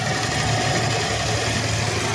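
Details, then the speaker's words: R180 scooter stored 4 years, running after new CDI, battery, fuel hose and carb cleaning: rough clattery idle buzz, noisy and smoky; connecting rod has slight up-down play and cylinder is scored, rod replacement recommended. "conrad up down maramdaman mo mayon siyang alog konti so desisyon mo yan sir kung hindi natin papalitan ng Conrad mayon siyang tunog konti"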